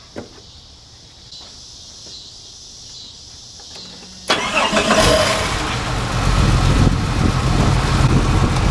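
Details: 1990 Jeep Cherokee started just after a power steering pump replacement and belt retension, run to circulate the new fluid. Quiet lead-in, then the engine catches and settles into an even, steady idle with a low, smooth rumble: normal idle.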